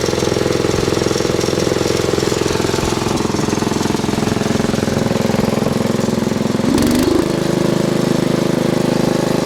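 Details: Bush Hog D4-10 tractor diesel after a round of repairs: it starts right up and settles into a steady, even idle chug with no belt squeal; normal running.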